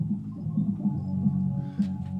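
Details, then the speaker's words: Magnavox turntable/tape player/radio console: cassette playback dull and muffled with treble almost gone; very dirty tape heads, otherwise functions, heads need cleaning. "heads very dirty but you can hear a plan and that's how it functions good just gotta clean the head"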